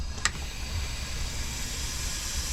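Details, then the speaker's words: 2023 Sea-Doo GTX 300 Limited with stage 1 tune, slow at 74 mph; engine off, supercharger pressurized with homemade tester: steady airy hiss of air escaping from a boost hose after a brief click — boost leak found. "oh I hear it uhoh we have a leak we definitely have a leak"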